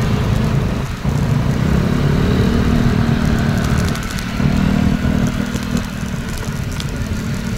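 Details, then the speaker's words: Rusi Flex 125i scooter riding over bumps after the front fender fix: engine hum, road rumble and strong suspension bounce, with no small, irritating rattle from the front fender left; only the phone holder is heard bouncing. "kung mapapansin niyo Ang tindi ng bounce niya pero wala na yung ung lagutok na maliliit yung nakakairitang tunog"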